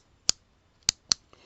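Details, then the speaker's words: Harbor Freight electric pole saw that lost power under heavy cutting; three crisp clicks as the opened trigger switch's two contacts snap freely after sticky contacts were cleaned with contact cleaner. "So they both have to go down to get good contact and back up again to let off."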